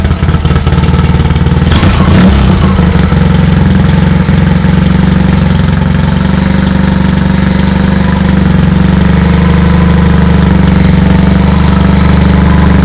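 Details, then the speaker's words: Honda HT3813 garden tractor after carb refit and coolant refill, new muffler replacing leaking old exhaust: cranks briefly, catches around two seconds, settles into steady even low idle, no knocks or misfires; owner suspects rusty sticking starter; normal running. "but actually sounded pretty good i like that sound with this muffler"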